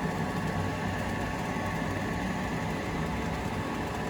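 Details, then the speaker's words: Heil ICP gas furnace, after water had filled the undrained draft inducer housing: smooth, even low hum and whir with no gurgle or rattle; inducer now quiet, normal. "well maybe it drains over into the heat exchanger i don't know but it's quiet now"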